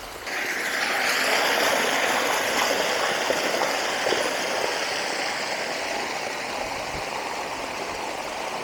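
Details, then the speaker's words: Pond overflow pipe running about 10 minutes after heavy rain, heard from above: constant heavy rush and hiss of water with no gurgles or surging; pipe flowing full as it should. "you can hear the water rushing from up here that is a lot of water been running for about 10 minutes"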